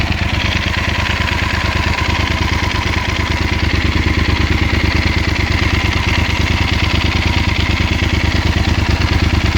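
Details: 2016 Yamaha Super Ténéré 1200 ZE twin at idle: steady even beat around three per second with a light clatter on top; engine noise, cause unconfirmed.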